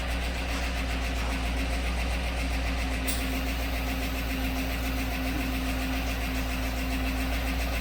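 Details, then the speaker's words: 2016-17 Chevy Silverado 1500 5.3 V8 after repairing a bent pushrod and broken lifter, at idle: light, quick, slightly irregular tick remains, misfire gone; suspected another bent pushrod on the other side. "It's interesting, it's still got a tick in it. I wonder if it's got another bent push rod on this side."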